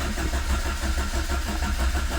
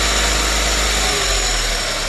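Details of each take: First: Carburetted Renault 5, cold start on full choke after sitting two weeks: starter churns in uneven low pulses about ninety a minute without catching while fuel is pumped up; extended cranking before it eventually starts. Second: Renault 5 small carburettor engine after fitting new parts, cold and warming up, choke coming off: steady even idle with hissy intake rush, no knocks or misses; normal cold idle.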